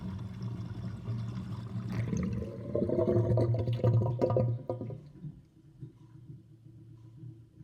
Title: Interesting kitchen sinkdrain with gurgling sound (1)